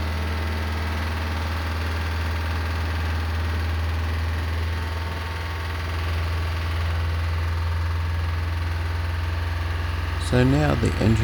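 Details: Lister emergency diesel on the M/V Steve Irwin, just hand-crank started: steady, even low thrum with no knocking or misfire, running smoothly; normal running.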